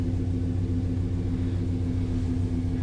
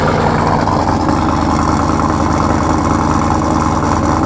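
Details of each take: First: S10 V8 with a new larger intake, idling steady and even with a deep low rumble but slightly fast; the owner blames the bigger intake drawing more air and expects a tune is needed. The idle drops once warm. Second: Camaro with Sniper EFI, after cold start, recorded from behind the car: loud, deep, steady lumpy idle with even beat, no knocks or ticks; normal idle.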